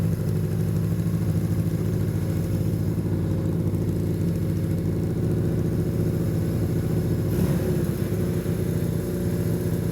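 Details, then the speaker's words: Long-sitting, previously seized Honda Benley "Baby Dream" motorcycle's small engine settling into a clean, even idle after the carburetors were cleaned and properly reassembled. "That bike idles now. And that bike idles because the carburetors were cleaned and reassembled properly."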